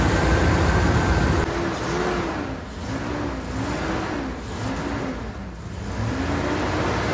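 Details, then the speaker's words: 1999 Dodge Durango, 300,000+ miles, after replacement with a remanufactured engine and distributor timing set (timing light check still pending): brief rev settling into smooth even idle, no knocks or ticks; sounds healthy. "pretty satisfied with that sounds really good she rides good crying like a kitten"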